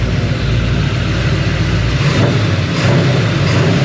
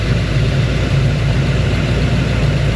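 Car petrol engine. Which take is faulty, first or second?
second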